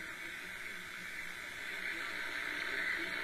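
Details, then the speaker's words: Realistic DX-200 shortwave receiver tuned to Overcomer station on 9.980: constant loud hiss drowning out a normally clear station; high background noise, possibly dry-air static. "this is the this is the overcomer radio on 9.9 a zero and I can say normally in the afternoon that thing is clear as about but whoo it is annoying level so high"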